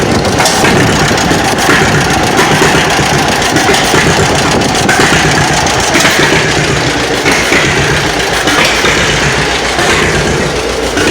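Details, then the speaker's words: 1936 John Deere Model B running on gasoline, timing light reading about 40 degrees against a 25-degree target: loud, uneven, lumpy running with a rough irregular beat and harsh edge; ignition timing over-advanced. "all right guys see right there it's about about 40 degrees I want to change that so let's see if I stay running here"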